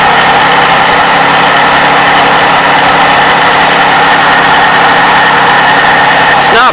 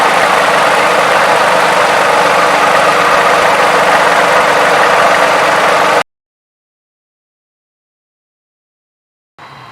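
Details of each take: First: 2007 Toyota 3.5L V6, 170,000 miles, cold start before adding graphene oil additive; busy rapid clacking from valve timing (VVT) actuator over the engine hum, belt noise also audible: VVT actuator cold-start clatter. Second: Toyota 3.5L V6, 170,000 miles, idling after graphene oil additive: smooth even idle, no valve timing advance clacking or valvetrain clatter; quietest the owner has heard it.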